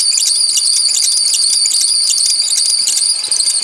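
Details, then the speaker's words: 2006 Ford Explorer 4.0L SOHC V6 at idle: constant high shrill squeal with a pulsing warble, the belt slipping and bouncing as the failed, wobbling harmonic balancer throws it around; the balancer was replaced. "okay so let's go ahead and start this up sometimes the squealing will subside but I don't think it will this time and hopefully can youall see the uh harmonic balancer down there yall see that"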